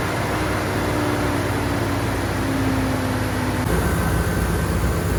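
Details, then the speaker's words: 1999 Dodge Durango with newly installed remanufactured engine (original over 300,000 miles, burning oil), distributor timing set: steady, even hum with no knocks, ticks or misses; smooth normal running after engine replacement. "pretty satisfied with that sounds really good"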